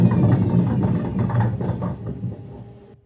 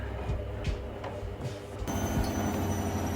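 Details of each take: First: Gorenje washing machine on spin: dull heavy rumble with a metallic edge as the drum turns, the first sign of worn drum bearings. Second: Washing machine after the drum bearings were replaced along with a drum spider and shaft worn at the bearing seat: a steady low hum of the drum spinning evenly, normal with no knocking, rumbling or grinding.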